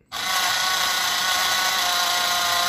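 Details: FTX Outback Fury RC crawler with metal gears, after an abusive day in mud and water: steady gritty high-pitched grind from the gearbox/driveline at constant speed; owner suspects rust inside.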